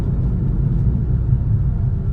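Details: Car test drive after resurfacing brakes with pads judged fine: steady low road and engine rumble with no brake squeal or squeak.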